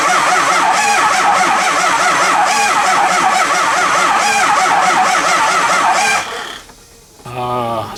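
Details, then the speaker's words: Early 2004 Ford Excursion 6.0 Powerstroke, no start, oil overfull, coolant tank empty: uneven cranking about four hits a second, speeding up and dragging in turns, fuel and some combustion present; dead cylinder. "we have fuel we kind of have combustion you can actually hear it when it's cranking that it it it speeds up and then it slows down it'll hit hit hit spin hit hit hit so it's got a dead cylinder"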